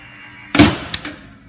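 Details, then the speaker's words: Maxon Series 5000 shutoff valve, actuator deflected to mimic a failed valve open switch: hard clunk then lighter click as the valve opens and immediately closes, cycling repeatedly because the motor isn't shut off; valve open switch fault. "so what we had is the valve just cycled over and over and over again it actually physically goes open but then it goes closed right away"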